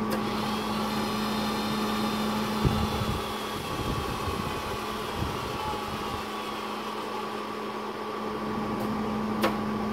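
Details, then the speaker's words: Hobart 135 MIG welder before repair: steady feed motor whine drifting down in pitch as it slows after a few seconds; fixed with a Hobart PTC1 repair kit. "the motor the feed speed decreases I'm gonna press this and after a few seconds it's going to slow down"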